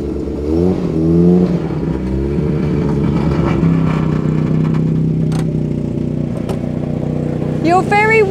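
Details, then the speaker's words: Austin Allegro moving under its own power: a rhythmic scraping drag follows road speed over the engine. The tyre rubs the wheel arch because the car sits lower on one side, presumed from the Hydragas suspension. "it's the wheel Arch on the wheel yeah look because it's because it's wonky on one side because of the hydro gas I presume yeah it's rubbing the wheel Arch on the tire look that's what it is there"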